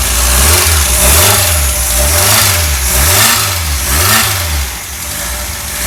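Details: Freshly rebuilt 1600 air-cooled flat-four for a 1965 VW Beetle, timing set, choke working, a little fuel hungry, old header, probably 1979-80: revs up and settles in smooth, even waves with a steady exhaust beat; normal running.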